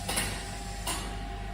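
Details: Pulsed laser deposition system with pump running at 800 Hz, GV PLD gate valve opened: two short mechanical clacks a fraction of a second apart over steady pump hum; normal valve actuation.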